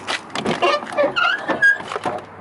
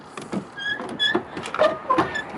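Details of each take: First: Old 3/4-ton Chevy work truck (fifth-wheel puller), doors prone to sagging: the door swings with a loud, wavering metal squeal rising in pitch. Squeaky door hinge, fixed with white lithium grease, carb/choke cleaner and silicone spray. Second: Truck door swung on its hinge after wiping it clean and applying a good amount of white lithium grease; it is nearly quiet, with only a few faint, short high chirps left.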